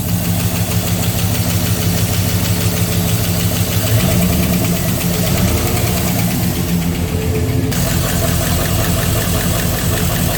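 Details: 6.0 LS V8 first start after replacing spun rod bearings: loud idle with light irregular ticking from valvetrain over the rumble, evening out as it runs; owner suspects lifters low on oil and pumping up, then sounds fine.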